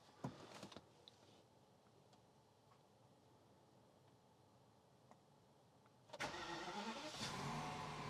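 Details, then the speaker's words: BMW after fuel filter replacement and priming the pump 5 times; faint ticking then engine catches sharply into steady even idle; loud ticking is injectors, normal, earlier knocking noise gone; clean start. "Seem to fire up okay. Now the injectors, they're pretty loud. That's not the noise that I was hearing before though."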